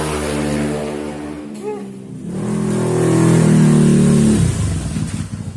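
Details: Honda Scoopy eSP bored up to 130cc, engine internals modified, throttle body fitted, after build: starts easily, even idle, then clean smooth rev rising and dropping back without misses or rattles; normal running.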